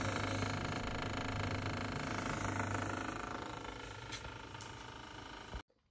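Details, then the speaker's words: Fridge freezer compartment: loud, rough rumbling with a fast rattling pulse, like a tractor, from the freezer fan motor catching on accumulated ice. "if your fridge makes a noise like this and you want to fix it please watch this video basically the noise sounds like a tractor or something like the fan kit somewhere"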